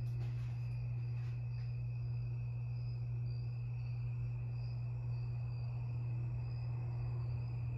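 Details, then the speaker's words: 52-inch Harbor Breeze Lakeside II ceiling fan before restoration, stuck on low speed on all three settings: loud steady low hum from a very bad run capacitor that is cracked and partly melted; capacitor to be replaced. "it has a bad capacitor it's it's very bad it has couple of cracks in it and it got melted it got melted a little bit yeah and it makes a humming noise"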